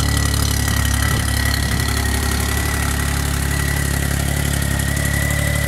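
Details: 1990 Geo Metro 1.0L three-cylinder, almost 22 years old from Ohio, just after a cold start: steady, even low-throb idle with no knocks, misses or rattles; engine runs perfectly, normal cold-start idle.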